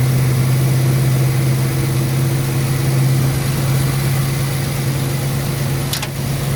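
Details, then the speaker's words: 1968 Ford Country Sedan, V8 of unknown size (360 or 390), first revival start on a borrowed battery, revved to 2K with 60 psi oil pressure and climbing. Ignition untimed, plugs ungapped. Strong, steady, smooth hum with no tapping or misfire: normal running. "what's the oil pressure 60 in climbing all right let's see it that's a lot of oil pressure it is sounds pretty good oh yeah"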